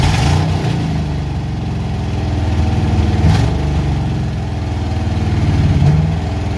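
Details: Junkyard Ford Mustang Fox-body 5.0 V8, first run in 20 years after swapping a throttle position sensor that had no signal voltage (it had sputtered above idle): deep burble swelling evenly with throttle blips, no stumble; normal revving.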